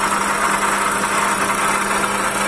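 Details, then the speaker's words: Toyota Calya engine with loud harsh noise: steady idle with constant raspy whir that doesn't change, heard loud near the alternator; worn water pump bearing. "ternyata jadi buli-buli Tri water pump"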